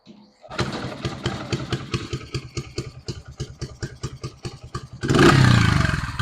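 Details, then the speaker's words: 1974 Honda XR75 on an aftermarket carb with only the float adjusted, started on choke: uneven stumbling pops about two per second, then a rough surging rev. It won't settle to idle. "I'm gonna choke it and see what happens. All right, it's not a good sign."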